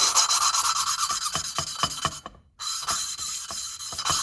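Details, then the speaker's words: Valve being lapped into its seat with lapping compound during a rebuild of a John Deere D105 mower's Briggs Intek engine that had dropped a valve. Rhythmic gritty scraping strokes, nearly three a second, with a short pause; the sound changes as the seat forms. "put a little bit of this on here just a little bit laughing compound and i'm just going down slowly don't do too much but you can hear it change"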